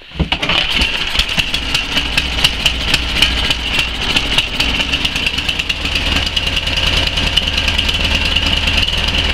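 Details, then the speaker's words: Tecumseh Snow King 11 hp on a Murray Select snowblower, after idle/surging fix and still a little cold, catches on a pull and runs evenly, easing toward idle without surging; before, it died below half throttle. "it's still a little cold so it wouldn't idle all the way but before I couldn't even get it down half throttle and it would die on me"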